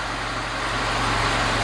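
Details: Lada Niva idling after replacing water-damaged alternator with a stronger one, belt not yet tightened: steady even low hum, no knocks, squeals or whine; engine idles cleanly.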